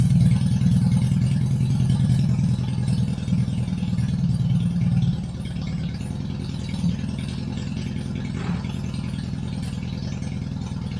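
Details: Barn-find 1983 Honda Goldwing GL1100 first start, old gas topped with fresh gas, new fuel filter, cold before warm-up: low even flat-four rumble dropping to a steadier lower idle after a few seconds; runs smoothly without misses.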